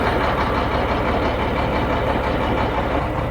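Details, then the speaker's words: Shacman diesel tanker truck with one rear wheel jacked up spinning in gear: rhythmic low churning over the diesel; noise located in the differential, not the gearbox or elsewhere; differential to be opened and checked. "तो अभी हम इसका depressor खोल के check करेंगे। इसका डिपेंसर में आवाज है और बाकी कहीं आवाज नहीं है।"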